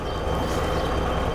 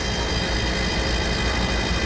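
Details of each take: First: Old Dixie Narco soda machine with only the condenser fan hooked up, testing for a short: condenser fan gives smooth even low hum and steady airflow, no rattle or scrape. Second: Old Dixie Narco soda machine compressor, with a rewired new start relay and plugged straight into an outlet: a steady rushing hum with a faint fixed tone. It runs, then trips the breaker again; a faulty compressor is suspected.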